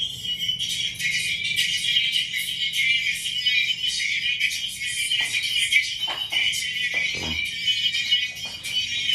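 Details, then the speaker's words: QSC K12.2 powered speaker, owner suspects the amp is failing; music thin and scratchy from the top of the speaker only, no low end, woofer silent; distorted output, no bass. "I'm only getting sound from like the topst part of the speaker and it's like real scratchy"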